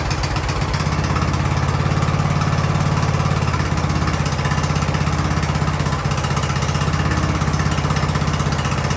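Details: Free Ariens riding lawnmower, sat at least two years, revived indoors: small single-cylinder runs steadily with an even low putter, no misses or knocks.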